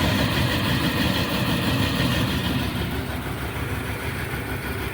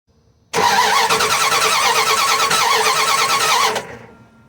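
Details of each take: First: Dodge Ram 1500 with 5.2 L V8, which shut down while driving and then cranked without starting, now idling smoothly and evenly with no misses after a new distributor cap; the bad cap was the problem. Wires and coil not replaced. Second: Dodge Ram 1500 with 5.2 L V8 that shut down while driving cranks steadily about three seconds with no firing; spark tester shows no spark from plug wire, traced to a burnt, worn distributor cap.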